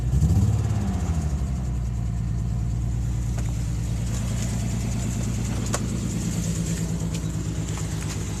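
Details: 1992 Nissan 300ZX NA V6, just acquired in a trade, idling with an uneven, stumbling beat and a lope about three times a second. A horrible misfire at idle, cause unknown.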